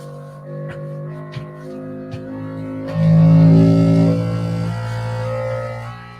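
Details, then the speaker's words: New Bambu Lab X1 Carbon 3D printer running its vibration calibration to find its resonant frequency on its surface: steady hum stepping up into louder buzz as frequency rises, then easing off; normal resonance calibration tones. "It does take a few minutes, so we'll let that continue. You'll hear it hum and even buzz as the frequency gets higher."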